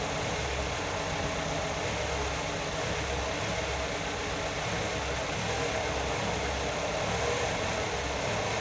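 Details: Nissan GA16DE petrol engine first start after repair: steady even idle hum with soft low throb, no knocks or ticks; normal idle.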